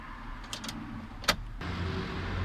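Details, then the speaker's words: 2002 Ford Transit Millennium: on turning the key the starter clicks a few times but the engine does not crank, then a steady low hum. Cause not confirmed here; it later started after a relay was pulled during fuse checks. "Ford Transit 2002 года Миллениум открываешь стартер Валя щелкает мотор не крутит"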